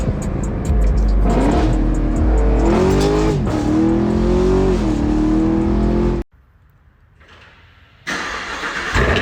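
V8 fires and settles into an even, deep rumble with clean blips and no knock or tick underneath; healthy engine.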